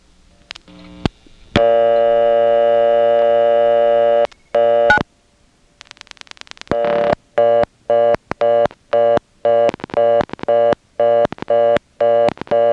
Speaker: Here's what happens when you dial 9. And if you listen carefully, you'll hear another customer coming in on top of the reorder and dialing on it.